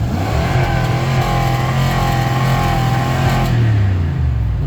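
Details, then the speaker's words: 2003 Ford F-150 ex-plow truck, still cold, revved up to the rev limiter: strong, even high-rev drone with no knocks or misses; the engine seems healthy. "engine seems pretty healthy. It's actually nice and quiet up here."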